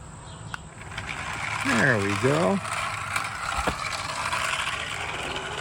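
Light ticking wheel clatter with a brief rising-falling whistle over a quiet outdoor background; the little train is rolling steadily, no stalls.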